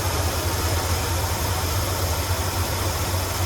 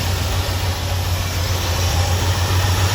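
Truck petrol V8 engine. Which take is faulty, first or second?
second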